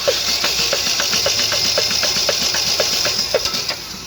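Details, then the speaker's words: Chevrolet Celta/Corsa petrol engine noisy underneath, started on the starter: sharp regular knocking about four beats a second from deep inside; rod knock, with visible play found in the connecting rod once the oil pan was removed. "Aqui é a biela, né? Ó a folga que está, ó."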